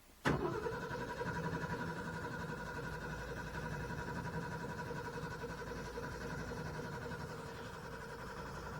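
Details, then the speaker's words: Owatonna 260 swather, first start after sitting all winter, choke pulled, throttle up, mechanical fuel pump, straight-piped; after a click the starter cranks about nine seconds without catching; cranks but won't start, owner suspects fuel drained. "hello so I might throw some starting fluid in there to get this thing primed up a little better"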